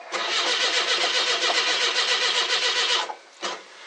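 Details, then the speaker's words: Carbureted car, cold start: steady fast cranking three to four turns a second that never catches, then stops; no-start, owner suspects weak old mechanical fuel pump, starter has a dead spot, battery strong. "So just gonna let her sit, let the starter cool down a bit. Maybe the fuel pump might be weak too. It's an old mechanical one."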